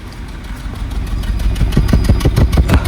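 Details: Maruti Suzuki petrol car idling, heard at the tailpipe: uneven chuffing puffs about three a second with a fuel smell, a misfire caused by a faulty ignition coil found by pulling plugs one at a time.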